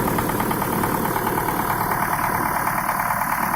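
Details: Diesel engine: steady hard knock about twice a second over idle; injection pump and injectors tested fine on bench, but one pump element overfuelled its cylinder; reducing that element's delivery cured the knock.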